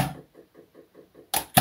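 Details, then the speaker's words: Sparklabs Wolf HPA engine installed in airsoft receiver, seal test at about 3 bar (45 psi): six soft even puffs then two sharp clean cracks, no lingering hiss; good air seal. "this is good sealing."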